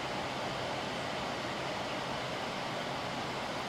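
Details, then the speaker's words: 2001 General Electric Quiet Aire air conditioner after fan motor bearing replacement, fan test before cover refitted: steady even rush of air, no grinding, squeal or knocking; owner's earlier worry about noise judged normal; bearings sound healthy. "yeah this definitely sounds good yeah very very nice i was a little worried about that i guess the sound i was hearing was just normal"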